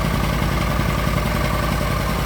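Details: Argo ATV after winter-storage no-start repairs (upgraded carburetor), running with no jumper wires after the fuses were replaced: steady, even idle with a low smooth drone and no misses or knocks. Normal idle.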